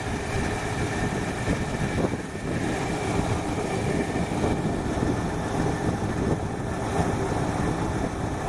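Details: 1968 Ford Fairlane carbureted V8 with a flooding carb holds a steady, slightly burbly idle with an even drone, still running a bit rich; the choke heat line was found tapped into the exhaust-manifold line.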